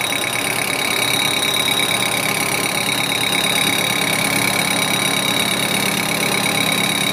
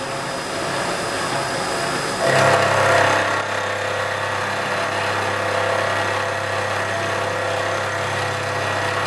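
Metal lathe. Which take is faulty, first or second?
first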